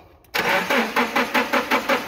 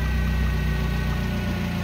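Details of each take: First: Nissan forklift with code P0335/E27 crankshaft position sensor circuit, intermittent start/no start, cam and crank sensors previously replaced: starter churns in quick even pulses for over two seconds before catching to idle; extended crank from defective replacement crank sensor. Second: Nissan forklift with an E27/P0335 crankshaft position sensor code and extended crank, after fitting a new crank sensor: smooth, even low idle with no misses or knock.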